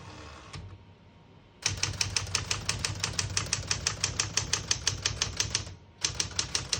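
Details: 1971 Smith-Corona Super-Sterling portable typewriter, all functions tested: crisp, even key strikes about three per second with short pauses between bursts; typing action works cleanly and evenly, normal.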